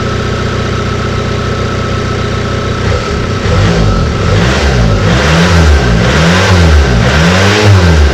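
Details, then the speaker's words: Bassvan engine, first run after sitting a long time, revved on new accelerator wiring: rough idle, then loud harsh rattling surges with no exhaust muffling; abnormal noise, owner suspects oil not cycled in a long time or the engine mounts. "we'll have watched to at least the point where the engine was making the god awful noise so if you know why it's making the noise it could just be because it hasn't cycled oil in a long time maybe that's the problem"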